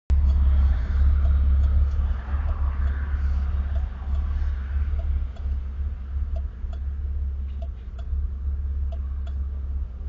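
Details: Camaro with a 347 V8 at idle, T-tops off and windows down: deep idle with an uneven, lumpy beat and slight stumbles; rough idle with cause not stated.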